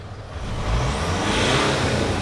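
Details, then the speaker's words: Mitsubishi Pajero Sport KG4 with 4D56 diesel, which had black smoke and would not accelerate, after repair: revs climb smoothly and quickly with a clean, rising turbo whoosh and no hesitation; acceleration now normal. "อันนี้คือความแตกต่างคือตอนนี้เร่งก็คือใช้ได้ใช้ได้แล้วเร่งขึ้นเลยครับ"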